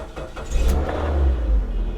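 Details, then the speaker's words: Salvage auction car with 112,000 miles, boosted after earlier sounding locked up on cranking: engine catches, revs and settles into a steady, even run without knocking or grinding; runs well, though it surges once in gear. "Hey. It does run. It does, and it runs well."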